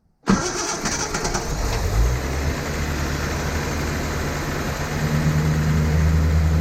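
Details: 1972 Datsun 240Z, sitting since 1995 and being revived, with SU carbs and a primed fuel system; it previously ran poorly. Quick crank and catch, then a low, fairly even idle that firms up and rises slightly, with no obvious faults.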